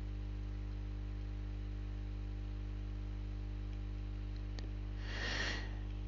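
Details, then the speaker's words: Constant low, rhythmless 50 Hz mains hum under a quiet Camtasia screencast recording, coming from the computer's plugged-in power adapter; running the computer on battery eliminates it. "Nou die brom kan maar van één eh kant komen en dat is het lichtnet het lichtnet dat heeft een wisselspanning van 50 HZ en die brom Zie je hier ook terug in het geluid"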